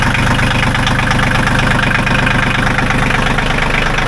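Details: John Deere 1050 diesel tractor idling just after glow-plug preheat and starting, once a loose connection was fixed: steady, even clatter at about three firing pulses a second with no misses or knocks; engine running healthy.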